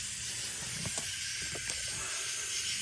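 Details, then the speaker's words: BMW F10 N55 leak-down test, cylinder five: steady high airy hiss with handling clicks as air escapes at the spark plug adapter threads, limited by rubber hose twisting; anti-seize planned to tighten; adapter air leak. "i'm going to try to lubricate the threads on the this connection here because when you're tightening this down you can literally only get it as tight as this rubber hose will twist"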